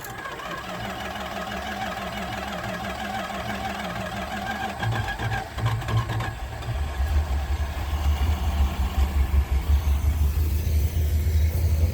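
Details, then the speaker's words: 1976 Chrysler Newport after about 8 years sitting, first battery died, second battery fitted: starter churns unevenly for several seconds then catches into a lumpy low rumble; long cranking before start. "Come on. All right, you turd. Come on, don't kill me a second battery."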